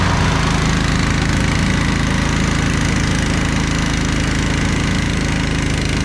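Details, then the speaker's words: Snapper Yard Cruiser zero-turn mower with 42-inch cut, revived after a mouse nest, mowing long grass: steady, even single-cylinder thrum holding speed under mowing load, no missing or knocking, no smoke, didn't get too hot; normal running under load. "I think this one should be good to go. Doesn't seem to smoke or anything. Seemed like a pretty good runner."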